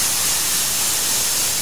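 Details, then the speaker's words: 1993 Chevrolet natural gas fuel system at key-on, listening over the injectors: a steady two-second airy hiss means gas leaking from one or both injectors, possibly cross-threaded into the injector plate or with a damaged O-ring. "you hear the hiss you have discovered a leak in one or both of the injectors"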